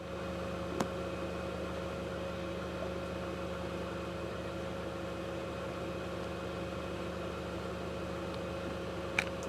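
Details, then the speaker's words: 2009 VW Passat 2.0T GDI after fuel pump module replacement for intermittent stalling and no-start: quiet, even idle with no stumbles, surges or cut-outs, steady fuel pressure, driven 5 miles, confirmed fix. "and I've had this vehicle running for a while now drove it 5 miles so this is a confirmed fix faulty fuel pump module uh dropping the signal out and causing the pump to shut off"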